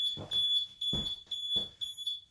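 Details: Mobility scooter at power-on: high, shrill beeps in short bursts because the rear brake release lever locking the motor is engaged; beeping stops once lever is reset.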